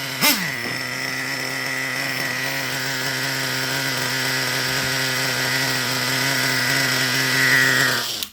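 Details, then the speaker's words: Traxxas Revo 3.3 nitro engine with high-speed needle leaned one full turn; thin high-pitched scream holding steady high speed with no burble, revs very snappy, almost no audible shift; running pretty lean. "So that's an example of, you can run it like that. I personally wouldn't. To me, that's just running pretty lean."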